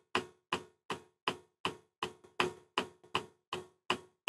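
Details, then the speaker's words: Webasto water coolant heater on a DIY replacement controller ECU, startup with glow plug on and water pump on, fan speed showing zero: crisp isolated ticks just under three per second; the fuel dosing pump is pulsing normally. "the fan's on its lowest setting of like 15 and then pump and fuel in can't you hear it pump feeling pumps glows"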